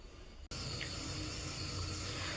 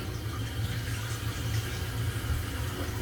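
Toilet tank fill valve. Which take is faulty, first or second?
first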